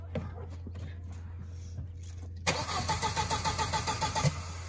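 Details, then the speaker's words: 1.8T VW Passat B5 fitted with a junkyard ECU flashed with a tune: the starter churns at a steady rhythm for a couple of seconds but it never fires, apparently not past the immobilizer. "oh we didn't get past the immobilizer yet all right try again try to start"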